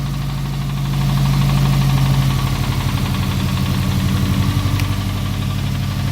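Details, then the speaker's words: Subaru WRX with swapped JDM engine, idling after oil-pan problems: loud rumbling idle with a deep, slightly uneven knock about four times a second; car drives well apart from the noise; bottom-end knock, source unconfirmed. "car runs really good I test drove it on the parking lot yesterday and I mean the only thing was the the noise"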